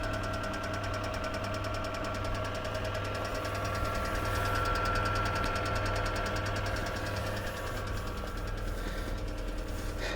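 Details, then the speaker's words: 2004 Kia Rio 1 petrol, 223,000 km, before Suprotec additive: idle with periodic light ticking about three clicks a second, owner suspects hydraulic lifters; occurs cold and warm, disappears above 3,500 rpm. "завел автомобиль и сейчас он достаточно tiffen работает но периодически появляется стук гидрокомпенсаторов"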